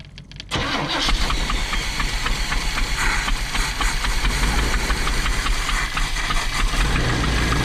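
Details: Big-block Chevy engine in a motorhome, starting after fuel delivery was restored: fires within a second, then settles to a deep, slightly lumpy but steady idle. Normal start and idle.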